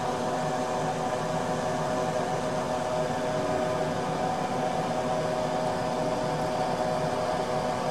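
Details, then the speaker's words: Harbor Freight 90 amp flux core welder after AC to DC conversion, first test with trigger pulled before welding; steady even hum with faint constant whine from the wire feed motor, no crackle; normal wire feed motor operation, though feed later failed while welding. "When I at this point, you can pull the trigger and the motor runs. Everything's working well,"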